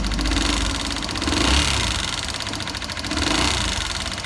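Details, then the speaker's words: Honda Bros 150 long overdue for valve adjustment: fast, light ticking over an uneven idle; excessive valve clearance, the rocker arm has worn and dented the valve head, so adjustment now with valve replacement needed later. "Vou ligar aí pra vocês verem. Aqui é pra fazer a regulagem de válvula, galera, é o barulho."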